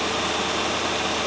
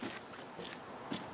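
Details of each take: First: 1997 Land Rover Discovery 1 idling at about 1000 rpm after the no-start fix, smooth even hum with no misses or knocks; a bit rattly at startup, now starts off the key and runs healthy. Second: 1997 Land Rover Discovery 1, now starting off the key, cranks and catches, then idles steadily at about 1000 rpm, somewhat above the expected 750; slightly rattly at startup.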